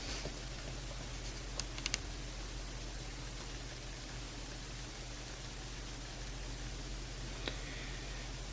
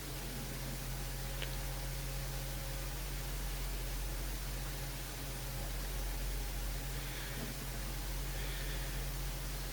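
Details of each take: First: HP x360 laptop on startup with system fan error, microphone next to fan: a few faint isolated clicks over steady hiss, no fan whir spinning up; fan seized by a snagged hair. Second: HP x360 laptop after repair: a hair had stopped the cooling fan spinning and caused a BIOS fan error at startup. Now a soft, steady, free whirring hum with no ticking or scraping; normal fan operation.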